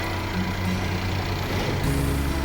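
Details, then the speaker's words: Mercedes-Benz CLA W117 front-drive turbo petrol at idle after replacing the water pump, thermostat and filter housing and refilling coolant: smooth, steady idle, the earlier squealing from the water pump area is gone. Normal idle. "ตอนนี้อนี้เสียงป้อมน้ำก็หายไปนะเสียงที่ดังแอ๊ๆๆครับหายละเงียบแล้วตอนนี้นะครับ"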